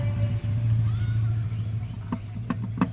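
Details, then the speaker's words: Hero Splendor motorcycle engine at idle before teardown: a low, uneven drone with loose, irregular knocks. The mechanic says the crankshaft is faulty and needs rebuilding, and the engine is being opened. "आवाज़ देख रहे हैं गड़बड़ है। इसकी crank बनवाएंगे दोस्तों। इसकी क्रैंक दिक्कत कर रही है।"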